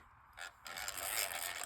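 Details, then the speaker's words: Catalina No 804 / Jorgenson Z-12 spinning reel before service: dry, raspy chatter as the handle turns, from the bushing rather than the gears; relubrication expected to fix it. "That's a bushing chatter. That's it's chattering inside the bushing there."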